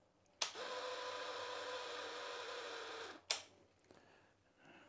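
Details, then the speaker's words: Royal Enfield Himalayan 411 electric fuel pump out of tank, powered with ignition on; harsh buzzing whir for about three seconds then stops, pump running dry with no fuel to lubricate it; fuel pump whine from running dry. "it's making a strange noise because there's obviously no fuel in it it's a fuel that lubricates the pump right"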